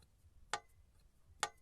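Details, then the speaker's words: Cylinder head valve after hot straightening: two short crisp taps about a second apart, showing the valve seats well; clearances checked good. "Теперь, когда клапан остыл, звук поменялся. И он теперь стал более таким глухим. Здесь вообще вот глухой какой хороший звук. То есть слышно по звуку, как он хорошо прилипает."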